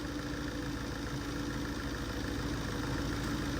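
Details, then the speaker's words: TATA 2.2 common-rail diesel (V3) idling normally after replacing a broken camshaft sensor plug/wiring that caused a no-start with cam sensor codes: steady, even low rumble with no knocks, misses or stumbles. "โอเคเครื่องติดแล้วนะใช้ได้ปกติ"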